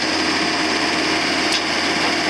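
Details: John Deere CT332 compact track loader diesel after maintenance and tightening loose parts that had caused a rattle: steady, unbroken drone with no rattling or knocking; sounds healthy.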